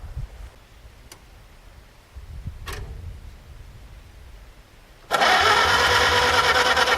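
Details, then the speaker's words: Farmall H tractor, radiator mounted but no coolant: faint clicks and near silence, then fires after a poor electrical connection is wiggled and runs loud and busy; hard start from bad connection (first thought it was flooded). "of course now I don't want to start well I thought I had just uh fluttered it out and that's why I wouldn't start but it turns out this connection here is not the best so I wiggled that and it actually fired"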